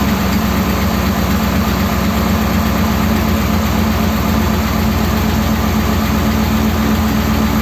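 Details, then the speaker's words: 1957 Ford Thunderbird V8 with original carburetor parts reinstated, fuel level judged about right: steady, even idle with a deep rumble and no misses, stumbles or knocks. Normal idle. "that's actually running okay isn't it"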